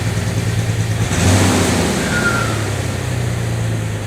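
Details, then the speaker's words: Jeep TJ started after sitting a long time on year-old gas: it revs up, then settles to a lumpy, uneven idle with some hiss. Runs rough; the owner suspects a vacuum leak. "It has sat for a really long time, so needs to get some fuel in the system. And it's running rough."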